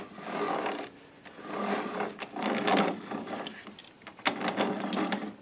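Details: Self-propelled lawn mower wheel hub not serviced this year, wheel turned slowly by hand with the mower on a chock. Gritty, uneven ratcheting grind in bursts; the hub gears have run dry. Dry wheel hub gear noise.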